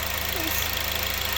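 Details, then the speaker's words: Honda Civic Type R EP3 idling after throttle body cleaning, throttle cable left off: steady, even idle with a smooth unbroken drone, the earlier hissing from the throttle body gone; idling cleanly. "That sounds a lot better. Loads better. Listen to that. Much better. No hissing as well now."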